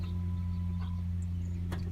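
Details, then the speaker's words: 2018 Vauxhall/Opel Astra K diesel, ignition on while draining water from the fuel filter after a water-in-diesel warning: steady low electric hum with a squirt of fuel, even pitch, no rattle; normal fuel priming pump. "so every time we turn the ignition on you can hear it squirting the fuel in and it also makes a little kind of sound so when you turn it on"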